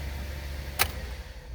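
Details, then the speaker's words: 2008 Buick Enclave after cleaning up a rain-drain water leak onto the cabin fuse panel and regreasing plugs: key off, low hum dies right after the clunk with no run-on (previously kept running ~20 s); normal shutdown, problem solved. "Nope. Shuts off right away. Okay, so that was our problem. Problem solved."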